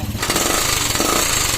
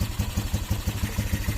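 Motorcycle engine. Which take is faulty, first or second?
first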